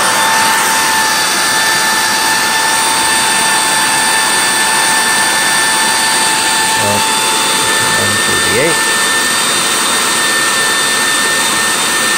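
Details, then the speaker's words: 2012 Miele Callisto S5281 canister vacuum during raw airflow test, about 134 CFM: loud steady rush with a constant high whine; motor sounds worn, probably needing new motor or bearings, or just a bearing repack. "134 all right so just as a reminder this machine's from 2012 that to me it sounds like probably time for new motor / new bearings really it just probably needs bearing repack"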